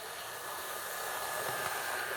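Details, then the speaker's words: Hornby R2701 Intercity 125 Class 43 model drive unit, axles, drive shafts and gears oiled, running without the squeaking dummy car: a steady, airy motor whir with a faint even whine, smooth and quiet with no squeak. "And as you'll be able to hear, the drive unit without the dummy car is much smoother and quieter without the squeaking trailer."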